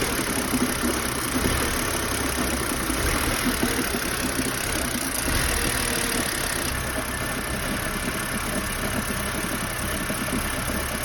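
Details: BMW E90 with N52 petrol six idles very roughly, its low pulsing beat stumbling and uneven instead of steady.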